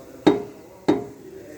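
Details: Jeep Compass, rear: two sharp iron-on-iron clanks as the moving exhaust pipe hits an aftermarket tow hitch installed too close to it; it knocks over bumps or any vibration.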